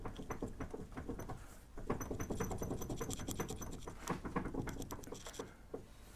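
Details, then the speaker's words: 1993–2002 Camaro/Firebird on the lift with steering locked and inner tie rod fine; rapid irregular clunks as the loose front wheel is rocked by hand, plus brake rotor scraping. Suspected worn wheel bearing play, though the bearings make no grinding noise. "i want you to see something that looks to me like a wheel bearing problem even though the wheel bearings don't make any noise"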